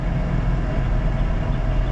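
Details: OBD1 OBS Ford truck, engine still warm, at idle: a deep, uneven idle that keeps dipping and catching, a lumpy stumble. The engine is running with a lean condition.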